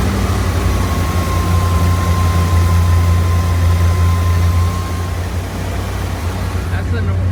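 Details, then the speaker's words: 1979 Corvette L82 V8 idling on its own for the first time in 20 years, after fixing a backward choke spring and lowering the idle screw. A deep V8 burble sitting too fast with a thin whistle: idle still high from a vacuum leak at a hose clamp on a rubber hose. "yeah it definitely needs to go a little lower but we're getting there found a vacuum leak i sprayed some carb cleaner in this this suspect area with that hose clamp on the rubber hose"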